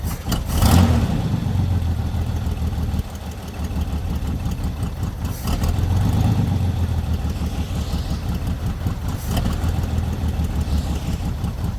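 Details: Chevy lowrider V8 after fixing an oil leak from the dipstick: catches after a brief crank, blips once or twice, then settles quickly into a steady, even idle, faster than before; normal idle.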